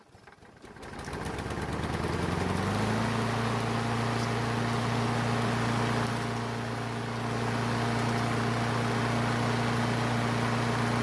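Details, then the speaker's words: Craftsman self-propelled mower that sat for years and wouldn't start and leaked gas from the air filter, after carburetor seat repair: catches after a few cranking pulls, then settles into a steady, even idle; normal running. "well it sounds great and the self-propelled works"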